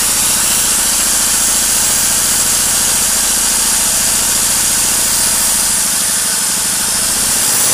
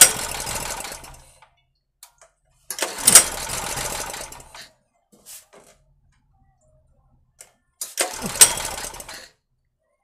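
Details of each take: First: Petrol generator that wouldn't start after long storage, after valve clearance set to 0.2 mm, WD-40 for carbon, and engine speed raised slightly via a screw. Runs steady and even under angle-grinder load with no surging; running normally under load. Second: 2.5 kW Ress petrol generator after long storage, with a new carburetor fitted: three pull bursts each giving a brief rough sneeze that dies straight away; it sputters but won't run, as the rod and its spring weren't checked when the carburetor was refitted.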